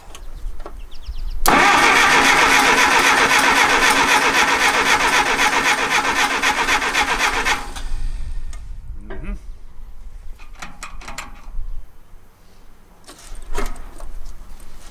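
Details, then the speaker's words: 1959 Case 300B (311B) tractor, 4-cylinder gas engine, parked outside 10 years, cranking in neutral with choke and a quarter-inch throttle: steady even cranking, about four beats a second, never fires; coil control wire stays solid, no distributor impulse. "and this is our control wire as we're moving adds removes the ground so this one should be flashing and it's completely solid which means we're not getting an impulse from the distributor"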